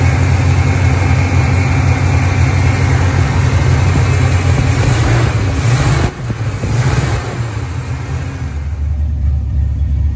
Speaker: Well, it runs. Definitely a little more tuning, a little more timing,